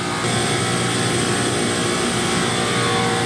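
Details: Factory Conair chiller after a compressor lockout, with the expansion valves replaced earlier and lower superheat: loud, even, steady roar of compressors and fans with no knocks, surges or squeals; running normally.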